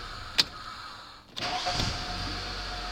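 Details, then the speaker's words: Toyota (Corolla/Camry) throttle body idle air control valve: sharp click, brief dip, then engine speed rises smoothly and settles higher; idle-up responding normally, unlike when the valve is jammed. "Right up. And I can hear it. We can hear it now. You won't be hearing that when it's jammed."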